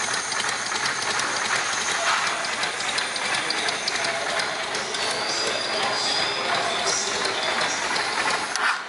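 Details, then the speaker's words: Motorcycle engine valvetrain: cams driving pushrods, rockers or shims on the valves give a quick, even, muffled metallic pulsing tick under the running engine, very quiet when well adjusted; normal valve gear noise. "o comando de válvulas graças ao seu tipo de funcionamento emite um som pulsante metálico e abafado se bem regulado seu som é muito baixo"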